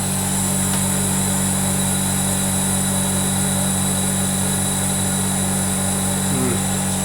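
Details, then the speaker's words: Zanotti refrigeration unit after replacing a blocked capillary, running about half an hour on defrost; steady even compressor hum, no knocking or rattle, working better but not fully right, suction around 24 PSI: normal running. "working a lot better than it was but still not 100 percent um anyway yeah it's warming up nice"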